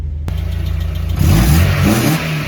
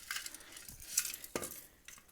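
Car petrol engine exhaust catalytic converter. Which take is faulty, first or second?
second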